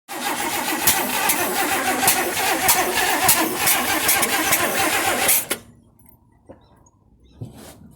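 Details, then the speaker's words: 1958 AMC Rambler Super with a new engine on first start attempts: steady cranking about three and a half beats a second with occasional sharp pops like backfires. It never catches. Crank no-start with backfire. "But it just doesn't start. It kind of like backfires. Boop, boop, boop, right?"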